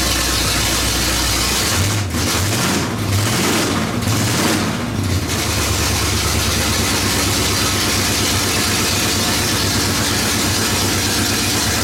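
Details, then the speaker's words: 1970 Pontiac GTO running on open headers after engine work, before first drive: loud raw exhaust bark through a few blips, then a steady even lope at idle; sounds way better, runs strong and clean. "That sounds way better. Huh? What did you say? Sure, Hater neighbors will paint. suggest otherwise, but it sounds a lot better."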